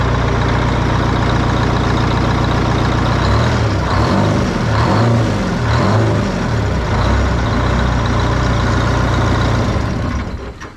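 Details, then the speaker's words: Abandoned GATR race truck, restarted just to hear it run, with the clutch unstrapped: deep, even diesel throb at a steady idle, firing smoothly with no knocks or misses, healthy running. "I thought maybe I'd fire it up just because I wanted to hear it run one more time, because I like hearing it run and I'm just really pumped that it runs."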